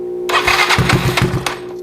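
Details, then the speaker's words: Yamaha Zuma fitted with a 158cc big bore kit, on its first test start after the rebuild with a low battery on jump start. Starter churn and uneven pops as it catches settle into a quiet idle that is really low. "oh there we go okay so it sounds like it's running but the idle is really low"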